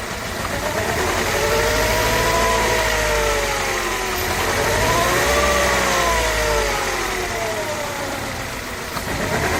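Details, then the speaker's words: Mercedes C200 four-cylinder, backfires and loses power pulling off, sounds like running on two or three cylinders; coils and all four plugs tested firing, owner suspects throttle body among others: revving rough and uneven with sputtering pops; misfire, cause unclear. "it misfires it sounds if it's run only on to two cylinders and loss of power and a lot of backfiring"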